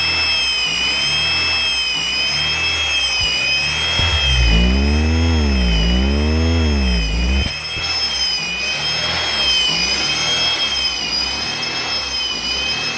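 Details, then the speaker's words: Replacement 1998 B20B long block from a salvage yard, first start after the swap, in neutral with a new clutch and fresh oil: loud rising-and-falling screech, then a steady engine with a rough regular knock. Rod knock suspected. "oh it's knocking - man I can hear it oh man LQK what are you guys gonna say man it's knocking brand-new motor"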